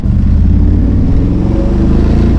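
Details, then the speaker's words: 1994 Camaro Z28 V8 with a performance cam, after replacing many parts to cure a no-start: loud, deep revs and a choppy, loping exhaust pulse with no knocks, shaking the whole car in a flyby. Runs fine with lumpy-cam character. "Oh, there we go. Now we got a real flyby. Whoa, the whole car's shaking, but that's really just the cam."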